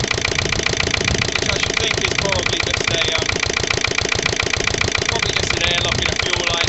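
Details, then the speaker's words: Lister LD1 single-cylinder diesel on a chilly 5–6° morning after a fuel filter change: thumps unevenly under load, beats bunching and sagging near stalling. Rough running; owner suspects a fuel system fault or the pump. "that created a bit of a um a bit of a smoke screen that anyway s clearly isn't right with the old"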